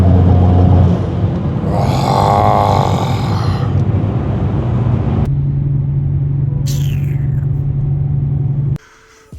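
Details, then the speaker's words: BMW E92 335i with a boost pressure adapter tapped into the manifold MAP line. A deep engine rumble is followed by a clear airy whoosh on throttle lift, showing the blow-off valve now works normally after a loose, misconnected wire was fixed. "oh my goodness listen a you can hear that blow up valve that's what it was loose wire it was just I didn't connect it properly"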